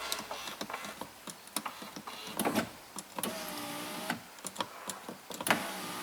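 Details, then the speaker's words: 2008 Chrysler Town and Country, no power windows or locks from driver's door, interior CAN fault: repeated switch clicks with short stop-start motor whir bursts; driver's window works intermittently, nothing else works from that door. "think when the driver's side window here starts to work, so yeah, there's really, like I say, I think it's just purely coincidence when that, but nothing else works from here, okay?"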